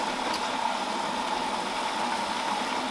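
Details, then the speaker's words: Whirlpool Duet front-loader washer being troubleshot for F3E1 error, running with panels off and tub exposed: steady rush of warm water hissing into the tub, suspension rocking, no knocks or grinding; normal water fill. "definitely some warm water coming in look at that suspension rock yeah baby"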